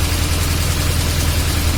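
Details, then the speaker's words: VAZ classic (2101-2107) rear axle after reassembly with fresh grease, raised car running, drum removed: steady even low hum, earlier rattle and metallic knock on this side gone; bearing now runs normally. "Да, уже такого нету, согласен. Но это без барабана."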